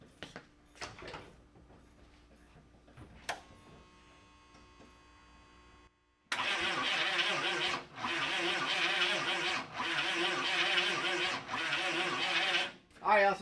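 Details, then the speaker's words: 1985 Chevy K30 CUCV diesel that sat 6+ years, cranked with extra batteries: short harsh starter bursts with pauses, the engine barely turning and never catching; stopped to avoid burning up the starter. "we got some movement finally out of the starter. So, I don't want to burn the starter up."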